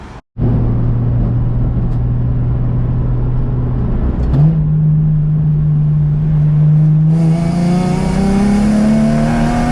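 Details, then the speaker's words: Nissan 350Z on the road after a rubber grommet fix for a check-engine light and limp mode. Clean rising engine note through the gears with smooth pulls after each shift and no hesitation: normal acceleration. "oh sounds like she's running real pretty no issues at all no hesitation no nothing man"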